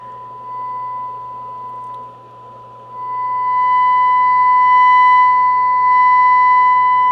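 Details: Breadboard two-stage single-ended tube amplifier with a small output transformer: loud steady 1 kHz test tone plus a 4.5 kHz pilot, laden with harmonics; about 2.5% total harmonic distortion, mostly second harmonic.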